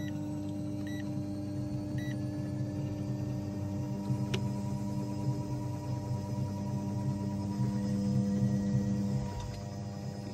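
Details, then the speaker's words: Two electric fuel pumps on a test rig at 100% PWM duty through a fan-speed control module, drawing 35 amps at 500 kPa fuel pressure. Steady low drone with slight throbbing, labouring; the rig's supply can't keep up. "hear that little rig it can't keep up 35 amps 500 kPa we're going to have to bump up that fuel EG aren't we to really put it through its pieces"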